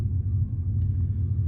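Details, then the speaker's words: 2003 Chevy Silverado 6.0L LS V8 idling after the TPS/throttle body replacement, coolant hose bypass and a test drive; deep steady rumble, no misses, knocks or surging, normal idle. "this is how it is at idle. I'm gonna let it idle for a little while before I shut it off for a little bit."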